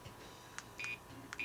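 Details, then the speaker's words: Samsung S1070 digital camera with jammed extending lens: faint motor clicks then three short high-pitched beeps at power-up as the lens fails to open. "beeps 3 times and it won't open. So I have to push this thing closed and then try it again."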